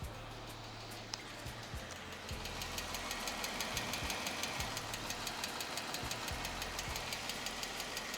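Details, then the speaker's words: 2015 Jeep Wrangler 3.6L Pentastar V6 idling warm after about five minutes' running, hood open: sharp even tick about three times a second, louder from the passenger-side bank and intensifying when hot; worn rocker arms and pushrods, replaced via timing chain removal. "the sound intensifies uh after the car gets hot uh so the car been running for about just five minutes now and you can definitely hear that uh knocking sound"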